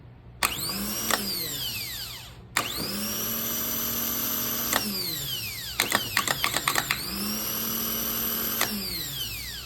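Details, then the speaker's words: Honda Accord/CR-V starter rebuilt with a kit, bench-tested with jumper leads: whirs up quickly to a high, steady whine, holds evenly, then winds down smoothly; healthy starter, pinion kicking out. "and that sound that it makes a nice smooth running sound and the RPM that it achieves that's what you're looking for"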